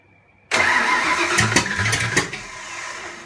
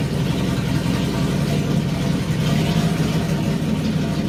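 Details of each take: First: Fox Body 302 HCI turbo build, first start with turbo off: brief whirring crank with a few weak pops, the V8 never catches and dies; ignition timing too retarded, fixed by adjusting the distributor. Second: Fox Body 302 V8 build, first start with turbo off, after advancing distributor timing clockwise: steady even V8 idle with smooth low rumble, no ticking or stumbling; still may need slight timing adjustment.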